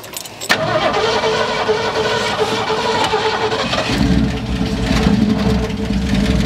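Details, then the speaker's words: 1972 Ford F100, unrun over 10 years, first start after tapping the sticking carburetor and squirting fuel in: cranks, catches and idles rough with an uneven, surging beat; running on what's in the carb, may die. "It's idling. I mean, it's idling rough, but it's idling. It's gonna run off of whatever's in the carb right now and probably die off."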